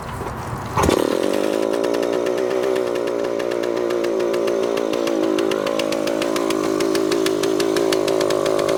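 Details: Suzuki TS400 Apache two-stroke, sat outside for years, first start with carburetor untouched after two kicks: snaps to a high steady buzzing rev that won't settle. Runaway, shut down before it got out of control; air leaks to be checked.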